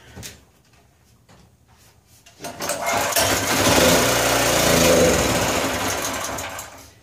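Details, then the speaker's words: Powerwise 3500 W (3000 W rated) 120/240 V generator, fresh non-ethanol premium, no choke: sudden rough firing about three per second that swells then fades; starts but dies, owner suspects no fuel through the carburetor. "Alright, I pulled on it a couple more times and yep, we need to pull the carburetor off of there. We're not getting any fuel. But it sounds good."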